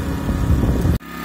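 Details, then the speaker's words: Pulsar G2319N 2300W/1800W generator on its first test run, warmed up at about 3000 rpm in non-economy mode, on rubber damping pads: a low, steady drone with no knocks or surging settles to a quiet, even hum and runs smoothly. "well it's running pretty smooth uh no vibration on this thing it's got some rubber pads on the bottom of it to help dampen any vibrations that may happen"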